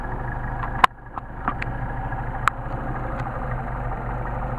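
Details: 190SL Solex 44PHH carburetors on test, no load, idle about 800-900 rpm; turning the idle mixture screw in brings an uneven, stumbling rolling misfire, meaning too lean; the fix is to back out about 1/8 turn.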